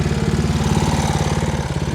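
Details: Homemade outboard with small single-cylinder engine, restarted by pull string; fast steady thumping with no misses or knocks, exhaust and engine not very hot: runs smoothly.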